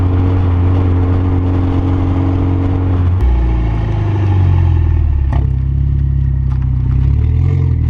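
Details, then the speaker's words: Mitsubishi Evo brake squeal fixed: after sanding the rotors, low engine and road drone while driving with no squeal or screech; brakes now quiet. Squeal previously came as the weather warmed, recurring after pad changes. "so just took the car for drive and by the sounds of it we got it fixed looks pretty awesome"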